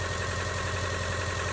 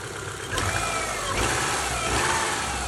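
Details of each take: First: Older Subaru Outback with plug wires and coil pack, flashing check engine light: lumpy idle with a regular dip, P0301 cylinder one misfire, no spark at the plug wire but spark straight from the coil; weak coil and plug wire suspected. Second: Older Subaru Outback four-cylinder after a P0301 cylinder one misfire fix with new plug wires and coil pack, plugs kept: smooth, even running with a few quick throttle blips and no stumble.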